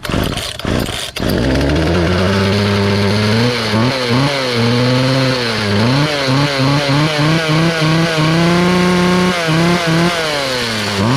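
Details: Free Poulan 2450 chainsaw, 2.3 cu in, 18" bar, restarted; the owner suspected an earlier noise came from the recoil or bearings. It revs up and back to idle crisply and repeatedly, with no rattle or hesitation. Normal running.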